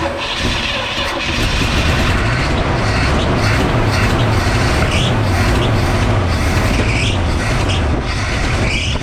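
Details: 1962 Chevrolet C10 engine run in driveway, weak battery, timing seemingly a little off: rough running with short, high chirping squeaks every couple of seconds, a slipping drive belt; belts since replaced.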